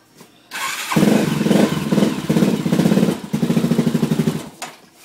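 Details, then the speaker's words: Honda 400EX after rebuild: cranks briefly, starts cleanly, settles into even single-cylinder thump with throttle blips; won't hold idle yet, thought to need breaking in; healthy start. "right you want idle huh took the idle on it sounds good"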